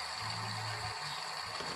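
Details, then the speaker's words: Chevrolet Aveo / Pontiac G3, belt removed, idler pulley spun by hand: dry, gritty whir with a thin steady high whistle, like a power steering pump low on fluid; bearing very dry; dry idler pulley bearing. "se alcanza a apreciar el ruido que hace El balero está muy reseco Entonces en este caso Esta es la culpable de que me haga un ruido Como si se tratara de una bomba de dirección a la que le faltara aceite"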